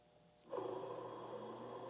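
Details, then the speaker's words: TRS-80 Model II computer at first power-on after power supply inspection, via isolation transformer: disk drive spins and fan below spins up with steady rushing whirr and low hum, kind of noisy; noisy cooling fan. "all right the disk drive is spinning and i hear that fan down there spinning up it's kind of noisy"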